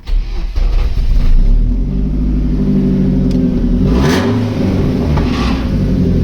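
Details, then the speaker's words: BMW M44 petrol saloon with its exhaust hanging off: deep, hollow rumble that booms louder as revs climb, sounding like a diesel tractor; the rear silencer box is broken and blowing, and a new back box is needed. "so as you can hear sounds like a diesel tractor not a petrol bmw"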